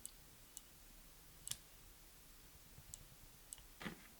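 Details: Brembo RCS 19 front brake master cylinder micro switch for a 2017 Suzuki GSX-R1000R: crisp, unevenly spaced clicks in a quiet room as the lever is worked, brake light switch clicking on and off normally.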